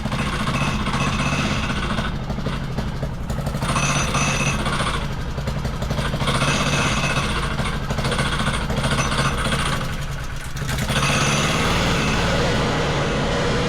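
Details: Wacker Neuson VP1030 plate compactor after governor, throttle lockout and carb adjustment: fast, steady thumping at about four beats a second over the engine drone. It compacts normally, though owner suspects worn clutch springs engaging at low revs.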